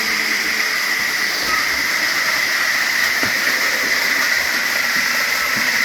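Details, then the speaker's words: Tyco Grand Trunk Alco C430 model locomotive running on track after its power torque drive was cleaned and oiled to cure a squeak: an even, steady motor whine with constant hiss and no knocks or surging. Running smoothly. "There we go. I think it's running pretty good. Just let you take it in a little bit."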